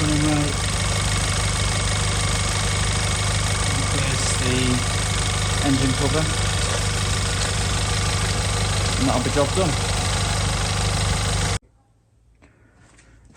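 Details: Audi A1 1.4 TFSI (CAXA four-cylinder petrol) idling after a filter service with the charge pipe refitted: an even, steady, smooth low beat with no misfire or ticking. Normal idle.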